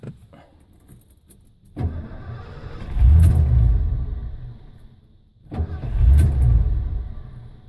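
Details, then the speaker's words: 1989 Ford F-150 5.0 V8 with an intermittent no-start that became a total no-start: cranks, catches briefly and revs, then fades and dies, twice; runs a little with some throttle or key held, but won't stay running; cause unknown. "it kind of starts but it won't keep running now when I put my foot in the gas a little bit it runs a little bit more"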